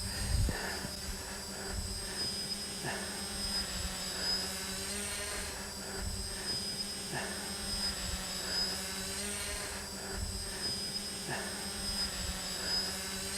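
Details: Smaller quadcopter with NAZA Lite flight controller, flown in front of camera in slight breeze: steady buzzing prop hum at one even pitch, no surging or stutter; drone hovering evenly.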